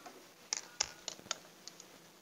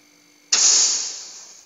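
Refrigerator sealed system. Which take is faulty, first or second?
first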